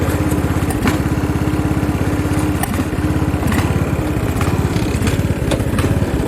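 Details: Craftsman riding lawn tractor (part 917.273760), single-cylinder engine with loose exhaust, idle mixture screw having no effect: uneven, lumpy beat near two firings a second with skipped, weak strokes and clatter, like a hit-and-miss engine; irregular running from fuel starvation.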